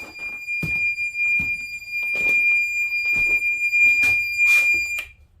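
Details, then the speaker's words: Marine fire suppression panel alarm on a Pursuit 365 Sport Coupe boat: a steady high-pitched ~2.5 kHz tone sounds continuously when the generator panel is switched on, then cuts off when overridden; the fire suppression system is signalling an extinguisher discharge. "So let's turn on our generator panel. Oh, we got an alarm right away going off. Doesn't sound like it's this panel though. Fire suppression."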